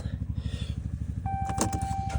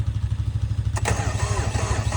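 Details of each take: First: 2014 3.0 L EcoDiesel cold start at about 3°: a quick crank, a little smoke, then an even diesel clatter settling smoothly into idle; it starts easily, a normal cold start. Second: Kubota BX2230 tractor, 3-cylinder D902 diesel, cold start: the starter cranks slowly in a heavy, labored rhythm and the engine doesn't catch between glow-plug cycles; the owner suspects weak glow plugs, as it used to start even at -30°F.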